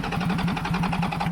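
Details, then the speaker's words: Flood-affected Toyota 100 Series Land Cruiser, 1HD-FTE diesel, water-contaminated fuel: steady cranking, about nine even compression beats a second, no weak strokes; compression much better than before, with heavy blow-by, suggesting stuck rings (suspected, not confirmed). "proba getting better that's definitely better that might that's way better that might suggest more likely it's stuck Rings"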